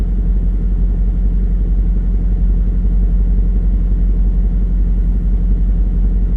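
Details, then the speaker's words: VW Touareg 4.2 V8 after hard off-roading: it starts and runs, but a heavy uneven rattle and knock sits in the idle. Something has burst through the block, coolant is leaking out, it smokes from below, and oil pressure and coolant warnings appear. Catastrophic internal engine failure. "It does start, it does run, it does trying to drive, but there's obviously something rattling about inside. It's burst through the block, there's no coolant, it's losing its coolant, that's what's dripping out all the time."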